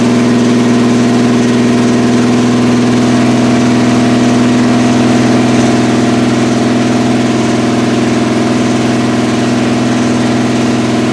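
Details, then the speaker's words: 1981 Recaro Trans Am (Turbo Pace Car) after about six years sitting, just started after a carb fire, running low on antifreeze: smooth, steady idle with an even beat, no valve train noise or tapping, no smoke; motor clean, normal idle. "Yeah, fire. It didn't really put up a fight. No valve train noise. No smoking out the back. The motor's clean."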